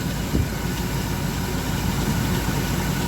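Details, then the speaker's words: 1997 Dodge B3500 van V8 that had spongy brakes, after intake gasket vacuum leaks were fixed: idle vacuum rises from 15 to about 16–17 inHg, and the idle is deep, even and stable with no hunting. Brakes now feel firm. Normal idle. "definitely idle's better we're yeah we're deeper in the vacuum it's 17 16 cuz there's 15 16 close to 17 so we're we're we're better and it idles better it's stable"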